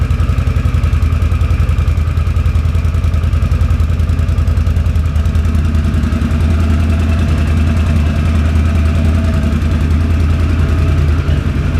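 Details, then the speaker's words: 2006 Can-Am Outlander Max 500 after installing a new EverStart AGM 12 V 270 CCA battery (old battery was the fault): steady, even single-cylinder idle with a low regular thump, no misses or knocks; normal idle. "so now we're going to go ahead and fire it up see how loud she gets here in a minute"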